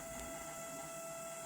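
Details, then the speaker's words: LG/Samsung microwave makes a loud, steady high-pitched screech over a hiss as soon as it runs, from a failing fan motor; not normal. "दोस्तों, यह microwave चलते ही अंदर से तेज आवाज करने लगता है"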